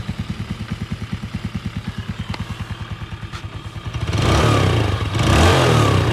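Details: Yamaha Sirius 110 Fi with about 260,000 km, idling after a full engine rebuild and new clutch: regular, even idle pulses about three per second, no knock, then a clean rev; the engine sounds healthy.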